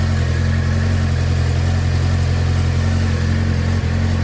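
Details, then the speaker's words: 2007 Suzuki GSX-R600 after CDI/ECU replacement, in what is believed to be second gear with rear wheel rotating: steady even hum, smooth low drone, no knocks or misses; everything works except gauges, which show no power. "everything is working fine except for stuff for the gauges"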